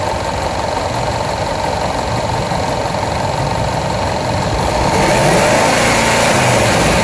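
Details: Jaguar XFR AJ133 5.0 V8 at idle: uneven stumbling beat about four a second, misfiring rear bank cylinders 5–8; codes P0300, P0306 first, P1315, P228F fuel pressure regulator too high, P00C6 rail pressure low cranking.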